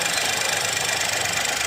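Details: 2021 Geely Coolray engine after replacing a faulty injector and spark plug that caused misfire and shaking; steady, even idle with constant level, no stumbles, check engine light gone.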